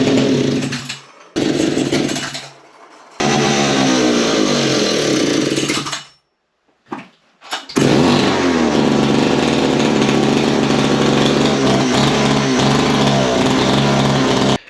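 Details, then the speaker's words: Vintage Italian Alpina 070 two-stroke chainsaw after carb cleaning, low screw about 1.5 turns, high about 1, idle bumped up, no bar and chain: high-revving buzz with cut-outs and uneven surges; running rough, needs tuning. "On the high, I put it at about one and I just bumped up the idle slightly, but it's running. It's a bit rough. It's not perfect,"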